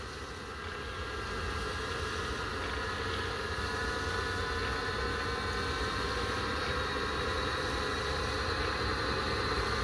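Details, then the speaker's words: Audi A8 Webasto parking heater running normally after a sensor fix, with no VCDS fault code shown beforehand; steady blower and burner roar swelling as it steps from part to full throttle, noisy but heating the car. "So now let's hear it, the Webasto work. It's in full throttle. It's a little bit noisy here, but you can hear it doing the job."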